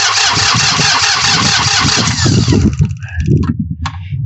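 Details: New Holland Workmaster 25 tractor, 3-cylinder diesel, cold Michigan winter morning, crank no start: starter churns in uneven bursts with no firing; fuel not reaching the injectors after losing prime.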